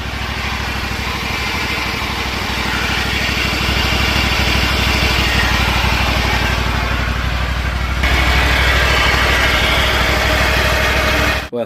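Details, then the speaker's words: Exmark/Toro 48-inch zero-turn mower running after carburetor repair, sound from underneath at the transmission: steady engine drone with a dry gritty whir on top; both transmission belt idler pulleys are bad and need replacing, belt is new. "Aparte del motor se siente un ruido, un ruido que viene de aquí"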